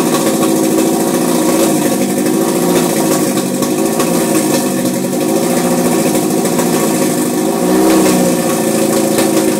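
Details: 2002 Type S petrol engine with an Injen cold air intake. After a hard start it runs rough, with a coarse raspy churning rising and falling with light revs. The same noise persists with the intake disconnected; cause unknown.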